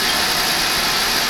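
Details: Oil boiler burner running continuously after filter, screen and nozzle service: steady, even flame roar, no pulsing or rumble; smooth clean firing, very low smoke, normal operation.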